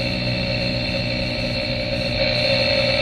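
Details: 2013 Chevy Cruze 1.4L turbo, chassis-ear microphones on the front hubs while driving at about 20–55 mph: steady low growl with humming tones, ignore the background high-pitched noise; front right wheel bearing was bad, and replacing it removed the sound.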